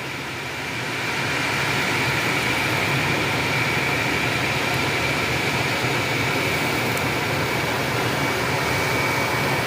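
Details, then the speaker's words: Aftermarket ventilated seat cushion fans in Hyundai Aura CNG at speed 2, engine running, AC on with blower on setting 1: steady airy whoosh with soft fan hum, no rattles or ticking; normal ventilated seat fan operation. "और यह auto fan जब चलते हैं तो इस तरह से noise हमें तू पर मिलता है"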